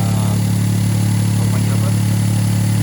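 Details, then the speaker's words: EF-DET engine with a jerking, stumbling complaint, started right after the ignition coil was replaced: smooth, even idle with a steady low hum and no misfire or jerks, running cleanly. "okey dah pasang kita Start. Okey dia hidup tak ada fire tu."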